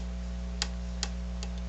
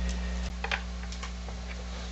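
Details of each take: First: HR-J693U VCR with a faulty power supply: low mains hum with a faint irregular tick every half second to second as the supply keeps cycling instead of powering up, the cycling slowing over time. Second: JVC HR-J693U VCR that was dead, switching on after its failed capacitors were replaced with properly sized ones; steady low mains hum with a few light clicks, boots right up with no fault noise. Normal power-up.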